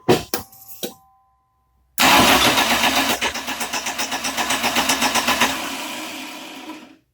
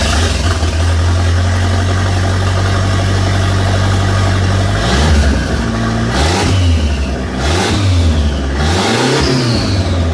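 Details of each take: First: 1989 Dodge Daytona 2.2 converted TBI to turbo, first start attempt: after a few clicks the starter spins the engine steadily at four beats a second but it never fires; spark present, distributor installed 180 degrees out. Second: 1989 Dodge Daytona 2.2 turbo conversion after fixing a missing plug: clean startup, smooth steady idle, several throttle blips with rising and falling pitch and light turbo spool whoosh; normal idle and revving.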